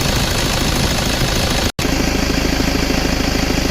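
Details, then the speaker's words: Toyota Vigo idling with AC compressor engaged after evaporator, dryer and valve replacement plus compressor oil change and bearing replacement, refrigerant recharged: even rhythm, no grinding or bearing rumble; compressor sounds normal, AC cycling normally. "พ่อแม่ได้เปลี่ยนลูกปืนขายน้ำมันคอมนะเย็นตัดต่อมีเสียงคำรามงามๆปกตินะครับ"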